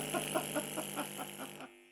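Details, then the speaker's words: Homemade 3D-printed solar AM radio, ZN414 front end with LM386 audio amplifier, first power-up on lab supply: harsh, crackly pulsing buzz for about a second and a half; too much gain, gain limiting needed. "yeah there's a lot of gain there right so you can hear the buzzing sounds like a small guitar amplifier yeah there's an awful lot of game going on there"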